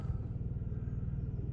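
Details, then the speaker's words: 2003 Audi A3 2.0 petrol, unstarted for 10 years, just fired after a few seconds on a new battery: steady low rumble with an even quick pulse, no knocks or misses; normal idle. "So not started in 10 years and it fired up after a few seconds. Well done, Audi. I'm impressed. Sounds pretty well, really."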